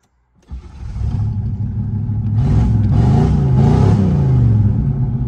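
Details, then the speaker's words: 1985 Chevrolet Camaro Z28 V8, first start after sitting 13 years, oil and transmission fluid checked: catches after a short crank and settles into a deep, even burble with a couple of clean blips; normal start and rev. "Boy, she sounds good. Let's throw her in reverse neutral drive."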